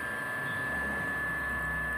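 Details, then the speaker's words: Washing machine motor on a bench test, coils measured good, powered through one side of the capacitor: quiet constant hum with a thin high tone and no rubbing, turning cleanly in one direction; feeding the other side reverses the rotation. "Veja que o motor liga para um lado, ó. Ele está virando para um lado."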